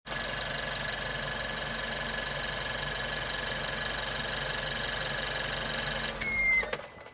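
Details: Suzuki Swift Sport ZC33S: the water pump made an abnormal noise when the engine was shut off, heard as an even whir then a brief high squeal at shutdown. After the pump was replaced (from about 25 s onward), the noise was completely gone.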